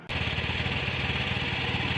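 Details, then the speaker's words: Older Honda Scoopy, a pre-eSP model, that loses power and reaches only about 20 km/h uphill: the idle is even and smooth with no hiss, misses or knocks, and it revs without delay. The engine sounds normal. "masih sangat halus. Masih sangat halus. Tidak ada masalah dengan suara dan tidak ada gangguan ."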